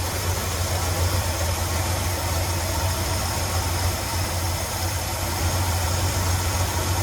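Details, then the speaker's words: 1977 Ford F-250 Highboy carbureted V8 after the carburetor idle screws were bottomed out and backed off to tune: low, steady idle, not too low or high, with no hunting or misses; normal idle. "And I'd say that's a pretty good idle to have, where it's not super low, but it's not high. It's kind of just in like the happy middle."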